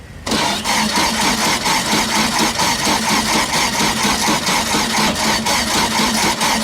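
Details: VW Super Beetle air-cooled engine after installing a new mini starter, alternator and 034 distributor; catches almost immediately and settles into a steady, even beat of about two pulses a second, run without the fan belt.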